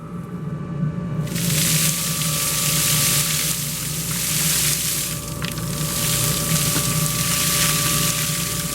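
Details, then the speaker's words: Shop-built cyclone dust collector as the second dust port's blast gate is opened alongside the band saw port: a quiet motor hum jumps to a strong, even rush of air with no rattle or wobble. Running normally. "this thing really really really pulls good I mean I cannot complain and that's with two dust ports open at the same time"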